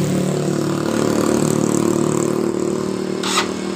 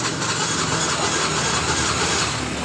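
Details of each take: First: Yamaha Mio J that suddenly died while riding, after valve adjustment (intake/exhaust valve leakage), compression normal, started on electric starter: smooth catch into steady even idle with no misses or rattles; engine now runs normally. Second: Yamaha Mio J scooter that died while riding: the electric starter whirs but the engine never fires. The kickstarter feels very light instead of stiff, pointing to low compression as the cause of the no-start.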